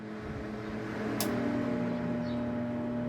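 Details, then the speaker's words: Centrifugal water pump motor tried on a run capacitor (up to about 80 µF) instead of a start capacitor (160–250 µF): steady electrical hum, no spin-up, motor stays stuck; stalled hum from insufficient start capacitance. "with the run or work capacitor you are going to see that this pump is not going to start with this run or work capacitor."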